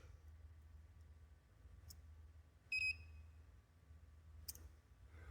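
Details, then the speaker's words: 2022 Honda CRF-E2 electric dirt bike: the start switch leads at the harness plug are jumped with a paper clip. A short, clean high-pitched beep and a 0,0 display show the harness is good, so the fault lies in the plug, its wires, or the start switch. "And if I hear an audible beep, and if I see that this turns to 0, 0, that means that we are in a good place, that we've connected that circuit, and now things would be operating."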